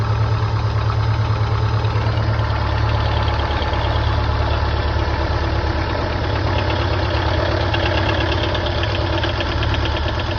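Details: Subaru Impreza STI GVF at cold start idle, with unequal-length headers, forged pistons and rods, APR head studs and GSC272 high cams: loose, uneven tapping about three times a second over a deep boxer rumble; knock of unknown cause, possibly spun bearings.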